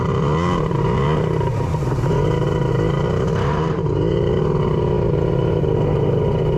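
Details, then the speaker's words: Two-stroke with custom cylinder head at Jet Ski Brothers revving unevenly with a flat, lumpy note and dropped beats, sounding like it's running on only two cylinders; cause suspected, not confirmed. "foreign sounds like it's only running on two that's not ideal"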